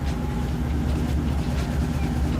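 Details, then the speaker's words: 1993 Lexus SC400 converted to W58 five-speed manual, engine idling: deep rumble with rough grinding rasps as a shift into gear is tried; won't go into gear because the clutch isn't disengaging, throwout bearing riding the pressure plate. "it was already converted to a five-speed manual and basically this is what happens when you try to put it into gear"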